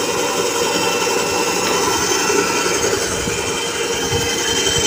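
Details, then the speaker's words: Mini bandsaw after the rough noise was fixed by tightening/loosening an adjustment at the rear with an L-key: steady even whir with light hiss, no knocks or rattles. Finding: normal running. "sudah normal kan suaranya teman-teman"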